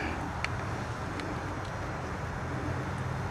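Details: 1964 Ford 4000 tractor with a carburetor fitted in 2010 and 91 hours on the tach, started cold with a little choke: a low, steady, even idle rumble with slight outdoor noise. The engine is running smoothly at a normal idle.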